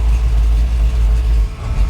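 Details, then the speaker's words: 1968/69 Chevrolet Caprice V8, just started after cleaning the battery terminals: deep, lumpy rumble that sags and stumbles after about a second and a half. It will not idle without throttle; the owner suspects it needs more accelerator pump; engine stalls at idle. "Oh, she's not gonna run by herself."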